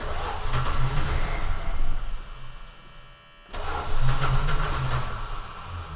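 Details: Long-stored vehicle on its third start attempt with old gas, tank not pumped out: two long spells of steady cranking, about three turns a second, never catches; crank no start, bad gas suspected.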